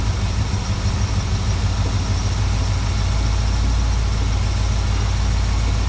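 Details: 1972 Plymouth Valiant 318 V8, Holley 600 four-barrel refitted after fixing a rich-running fault: deep, steady idle with an even low rumble, no hunting or stumbling, much better than before.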